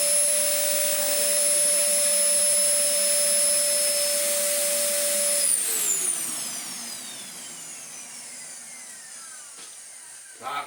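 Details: Dyson DC04 Zorbster carpet cleaner, stored two years in a shed and earlier running at half speed, now plugged back in at full power: high, steady motor whine at constant pitch, then falls smoothly as it spins down; motor runs healthily.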